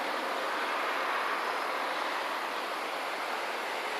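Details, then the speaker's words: Worcester Greensource 6 kW air-to-air heat pump outdoor unit on heating, mic held close: even, soft fan rush with no hum, rattle or cycling; very quiet, healthy normal running. "This is the outdoor unit. Very, very quiet. You'll be able to hear how quiet it is."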